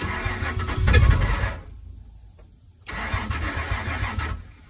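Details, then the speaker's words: Truck being fixed after compression fittings were replaced: engine cranks in heavy churning bursts and sounds like it wants to start but doesn't fully catch; smoke comes out the back. "not sure she sounds like she wants to start but it's not kicking over completely"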